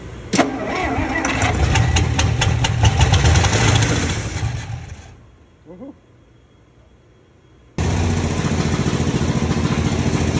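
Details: 1961 Dodge Power Wagon's tired Poly 318 V8, fed by a gas bottle into the carb bowl, brought back to running: cranking catches quickly into a fast, steady V8 beat, then settles into an even idle on all eight cylinders; a normal start.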